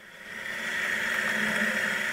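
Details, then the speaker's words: Power Mac G4 Quicksilver at power-on: high steady whirring hiss swells and holds; cooling fan kicks in, quite noisy. "alright so you heard a lot go on there fan kicked in"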